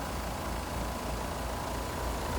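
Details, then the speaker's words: Two-ton heat pump outdoors at about 37 degrees, after about 10 oz of refrigerant added to a suspected slow-leaking system: steady low hum and fan rush; the compressor noise, attributed to its valves, is gone; normal running. "and it is about 37 degrees out here so it looks like we got rid of that noise so it was just the valves on that compressor"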